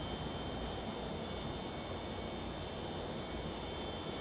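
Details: Vintage McGraw Edison box fan after motor bearing cleaning, switch tightened and cage screw replaced, repair complete: steady even airy whoosh with faint constant high hum, no ticks or rattles; running healthy.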